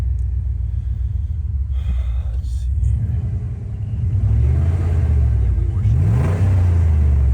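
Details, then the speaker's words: Dodge Dakota that was misfiring under load, after battery disconnect reset with check engine light still on, deep steady rumble with even beat and light blip; idling smoothly, no misfire heard. "well sounds like it's running a little bit better I guess"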